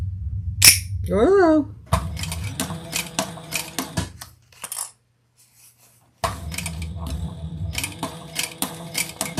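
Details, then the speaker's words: Sewing machine stitching thick leather for a waist pack: rapid, sharp, loud but even clattering as the needle punches through the material; stitching is otherwise fine. "Noisy. Can you hear that needle? Can you hear it going into the fabric, making all that racket? It's sewing fine, but wow."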